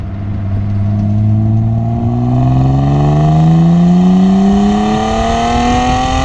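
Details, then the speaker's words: BMW E36 325i inline-six, recorded by GoPro while driving: strong, smooth note rising as revs climb, no knocks or rattles; healthy engine and exhaust under acceleration. "Le 36 ça fait vraiment un beau bruit, franchement je kiffe de ouf. Je vais pas changer la ligne, je vais rien faire, je vais pas faire une ligne inox ou quoi."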